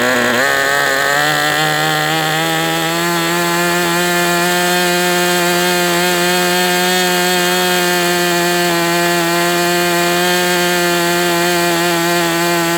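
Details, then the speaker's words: MDS 68 FS Pro glow engine on a break-in run: smooth steady high buzz, stable idle with no stumbling; low end a little rich but not too rich. "But look, I mean, it's idling. It may not have the best transition because it's a little rich, but I mean, it can't be too rich or it wouldn't even do this."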